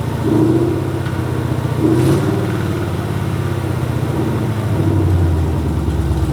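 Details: Gen V engine on a standalone setup with the factory harness reinstalled, battery to the starter, block grounded, and ignition power jumped from the alternator; cranked by jumping the starter solenoid wire. Brief crank, then it catches into a steady, even low idle with no knocks or misses. Normal start.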